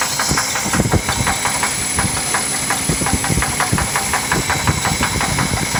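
Sharp ticking knock at roughly three per second over the running six, louder than normal valve noise; a knock, cause not yet pinned down.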